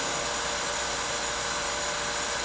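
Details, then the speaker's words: Kellenberger 1000U universal cylindrical grinder, footstock/workhead Rossi drive sped up via the pot, oil on, spindle off: smooth, even high-pitched whirr at constant level, no knocking, grinding or surging; normal running. "That looks good, sounds good. Here's the pot for that. I'll speed it up. Runs nice."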